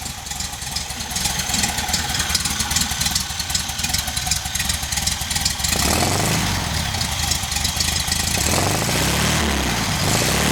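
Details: VW engine idling on a rigged temporary petrol tank, with a leaking fuel pump: a loose, uneven woofing knock of about two to three beats a second over the idle. The cause is unknown and the engine must come out.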